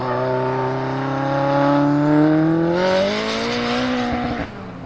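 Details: Rear-wheel-drive converted Mitsubishi Lancer Evo X drift car with longitudinal 4G63 engine (500+ HP intended), on track after four years: revs climb with rough stuttering edge and brief break near the top; engine misfire under acceleration.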